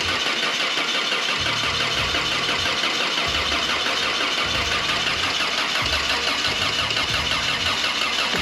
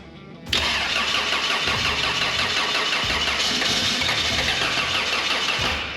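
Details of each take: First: 1985 Toyota Sunrader RV after engine replacement, first start: petrol engine catches and settles into fairly even idle with no knock or tapping; sounds healthy. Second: 1985 Toyota Sunrader RV after engine replacement, first start with fresh engine: steady fast starter churn with busy gritty top end, runs on without catching; extended cranking, cause suspected not confirmed.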